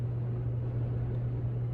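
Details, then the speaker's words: SMC/Galleria 30-inch hugger ceiling fan, new out of the box, on high speed at factory settings: steady low motor hum, thought to come from resonance in the enclosed mounting spot; high is the quietest speed. "you can kind of hear there's some hum based on the the factory settings this is actually the quietest speed it's not too bad"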